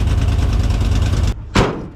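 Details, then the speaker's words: 1982 Ford F-150 302 V8 with new low-budget carburetor, previously running on 5 cylinders with disconnected lines: steady, even idle slightly high at about 1,000 rpm, smooth with no stumble; normal idle. "Well, it's still idling a little bit high, about 1,000 RPMs. So needs a little bit tweaking, but it sounds much better and it's not leaking."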